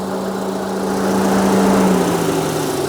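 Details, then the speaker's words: 2000 Rover 75 Club, 1.8 K-series engine, suspected head gasket failure, heater very cold: steady whooshing roar and constant hum over idle – radiator fan running continuously and high with the air conditioning off, which it should not. "There She Goes that shouldn't be running the fan why shouldn't it be running cuz the air C is not on so as you can hear"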